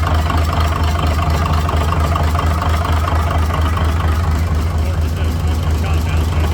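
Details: Cummins NHC250 diesel in a 1980s M818 5-ton military truck, first test run after adjustments to cure a popping noise: steady, even idle with a regular low thump, no popping or misfire. Oil pressure 60 psi; running normally.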